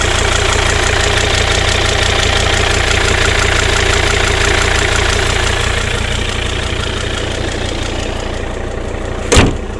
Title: XC90 D5 strange engine sound